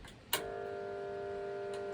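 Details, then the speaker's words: Pool pump motor switched on before repair: switch click, then about 1.5 s steady electrical buzz with no run-up; won't start because the start capacitor failed, with heavy overheating. "Donc là, il s'active pas du tout le moteur. Il s'active pas à cause de ? À cause du condensateur qui a lâché, du condensateur de démarrage du moteur qui a lâché."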